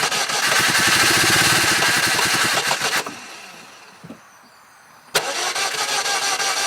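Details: 2000 Saturn LS 2.2 four-cylinder in Michigan snow, quarter tank of fuel, battery fully charged, fuel filter replaced: cranks, catches and sputters about three seconds then dies and restarts; no start, acting this way for about a week.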